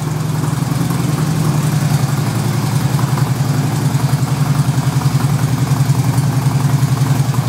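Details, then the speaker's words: 2008 Harley-Davidson FLHT Electra Glide Standard, first start of the season after winter: deep loping V-twin idle, steady uneven-firing thump about three to four beats a second; smooth, healthy. "fire it up it's probably going to be a bit clunky but we'll see hold on there it is running like a true Harley"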